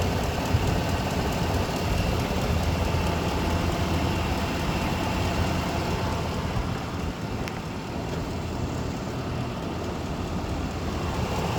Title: can anybody tell me what this ticking noise is didn't start until after I had a oil change